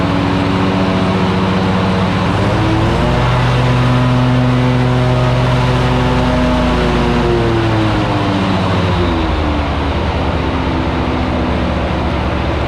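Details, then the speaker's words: Hustler Raptor SD 54" zero-turn mower with Kohler engine at about 100 hours, cold start after a couple of days unused. Steady beat, revs rise then settle to an even idle. It runs clean and normal. "this is uh from a cold start and i haven't started it in about a couple of days since i mowed last"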